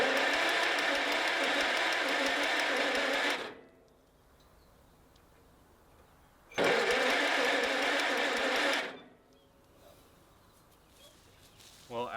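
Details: 1949 Allis Chalmers WD tractor with rusty cylinders, on a fresh battery: two bursts of steady starter whirring a few seconds each, with no firing; it cranks but won't start, and the owner doubts it spins over fast enough.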